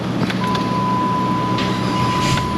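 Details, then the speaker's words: Dodge 2.7 after a starter replacement, battery tested good: engine fires almost instantly and runs steady with a thin chime behind it. The old starter labored. Normal crank and start. "Let's start it a few times. Oh, man. You can hear it just springs right to life. The other starter was kind of laboring a little bit."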